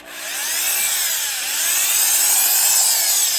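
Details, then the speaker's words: Worn Milwaukee Magnum Hole Shooter drill (#0300): high, raspy grinding whir with wavering pitch, worse in reverse like rocks in the gearbox; loose gearbox with broken alignment pins causing bad gear alignment, worn gears (worn brushes also considered). "a really strange sounds either like brushes that are really worn or just some terribly worn gears if we put it in reverse it's even worse sounds like there's almost rocks in the gearbox so it sounds like it's pretty worn"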